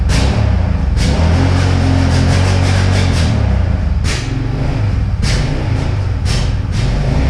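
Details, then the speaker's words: 2009–2012 Yamaha Raptor 700 quad after draining old gas, fresh fuel and a new spark plug: low, uneven rumble with irregular backfire pops on throttle blips, dies if throttle is hit quickly; owner hopes fuel injector cleaner will fix it. "it will idle but it will die if you hit the throttle too quickly and it's backfiring on throttle"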